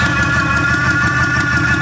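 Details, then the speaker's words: 1966 Pontiac LeMans V8 started after about a month and a half sitting, header gasket repeatedly blowing out the side: sharp puffing ticks about six a second over a loud, lumpy idle from the leaking exhaust header. "My header gasket keeps blowing out of the side. I don't know what's going on, but that's part of the issues I need to deal with. So, as you can hear, that thing's real loud."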